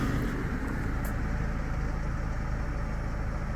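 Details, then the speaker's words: 2012 Fiat 500 Lounge at idle after fitting a fresh set of spark plugs and clearing fault codes: a low, steady idle with no stumble, skipped beats or hunting. The previous misfire appears resolved. "it's definitely not there. I think it's all been cleared up with a fresh set of spark plugs."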